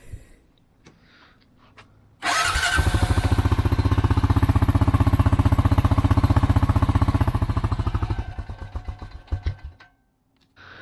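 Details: Honda TRX300 quad after fixes including a sealed starter solenoid, previously running rough and hard to start: cranks and catches right away, settles into an even, steady idle of about four beats a second, then shuts off; healthy.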